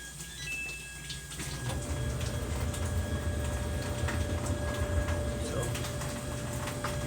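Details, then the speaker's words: Samsung dryer with a loose belt after the idler pulley was repaired using a bent spring: even low drum rumble, steady hum, no slapping or squeal; belt turns the drum smoothly, normal running after repair. "Okay guys, as you can see, it's now working."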